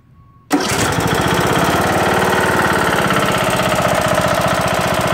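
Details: Briggs & Stratton lawn tractor single-cylinder engine after replacing broken camshaft and timing gear: starts and runs with loud steady rhythmic knock; owner suspects something misaligned or loose causing a wobble.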